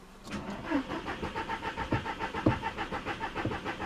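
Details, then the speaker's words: 2000 Audi TT after sitting about 7 years, restart after it stalled: starter grinds rhythmically then engine catches on a hesitant uneven idle; owner suspects bad old gas, plans to run it to burn it off. "Come on! Yes! Alright, so it's having a really hard time idling right now. That's probably because there's a lot of bad gas in there and it just hasn't been starting in a while."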